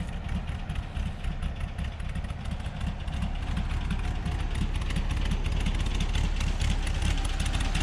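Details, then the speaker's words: 1963 VW Bus with an 1835 air-cooled engine built by Jay Stewart and a Freeway Flyer transmission, after a no-start fix: a low, steady putter with an even beat about three per second and no misses or knocks; idling better, normal idle. "Idling a little better. Motor's at 1835."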